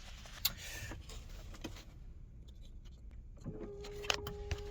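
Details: Mk2 Golf 20VT quick build, before a first start attempt in a cold workshop, with the fuel pump run off a separate battery: quiet, then a steady low electric hum holds even. The pump primes normally with no fuel leaks.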